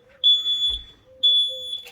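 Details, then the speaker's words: VW Crafter self-build campervan during lithium Roamer 230SB battery install: high piercing chirps in two long bursts, carbon monoxide alarm going off; unclear whether low battery or actual gas, van being vented. "Well, what's that noise, Boo? That's the carbon monoxide alarm going off in the van."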